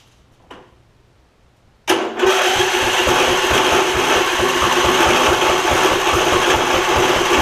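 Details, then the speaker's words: Husqvarna rider, 24hp Briggs V-twin, ~190 hours, air filter fine: loud uneven cranking, about three puffs a second, pushing back out the intake, suspected valve or head issue; found exhaust pushrod fallen off right cylinder, no damage. "pushing back out the intake, which makes me think that I've got a valve or a head issue or a valve issue."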